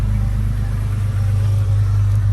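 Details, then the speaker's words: Jeep WJ 4.0 after rebuilding the throttle body with an A012 O-ring to fix a shaft air leak (lean code), one catalytic converter removed: steady even low idle rumble, no knocks, misses or hunting; previously very rough at idle, now normal. "one thing that that i was getting when i had that issue is the um the engine particularly at idle was really really rough so right now this is actually sounding pretty good"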